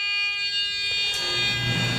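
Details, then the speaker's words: Discovery beginner metal detector pinpointer: its internal vibrator buzzer gives only a thin, steady ~400 Hz buzz, nearly drowned by furnace noise. Output is too weak to hear at the beach. Owner notes it gets louder when tapped. "So whatever the vibration mechanism is in here, it's not vibrating enough, so you can hardly hear it over the furnace."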